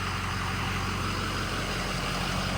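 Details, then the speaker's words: Ford 6.0 Powerstroke diesel, 4200 engine hours, EGR removed, 4in exhaust, apparently stock tuning, warm after a few miles: steady, even idle with deep low rumble, no knocks, misses or surging; runs smooth and clean, normal idle. "feels good seems like it's on the stock tuning and everything right now yeah she she runs nice man"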